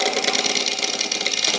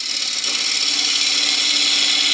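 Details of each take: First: Steve-free: bowl blank on a Hurricane Faceplate Series 2, cut with Hurricane carbide scraper tools. Rapid, scratchy chatter with a hissy edge at each turn as the tool bites straight into end grain, causing heavy tear-out. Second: Wood lathe turning an out-of-round bowl blank on a faceplate with a Hurricane carbide tool, speed backed off after vibration, cutting side grain with less than the full cutter width: steady high hiss, even and chatter-free; a clean, smooth cut.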